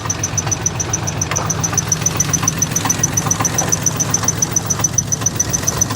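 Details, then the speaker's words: Salvage-auction vehicle that runs badly and misfires: quick even ticking, three to four a second, over the idle; owner doubts it is rod knock, possibly an accessory, and it isn't heard when revved. "I'm hearing some crazy noises under here. You hear that? What is that? Is that a knock? Or is that an accessory?"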